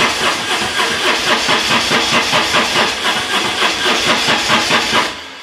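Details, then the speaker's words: BMW R1150 GS, restarted after being switched off, also draining its battery: starter churns unevenly, about two pulses a second, no firing; cranking speeds up with throttle and slows when released; cranks but no start, owner suspects Hall effect sensor. "so when I'm pressing the button and I'm turning the throttle it's almost like the more I turn the throttle the quicker the bike cranks and then they let it off and the cranking slows down"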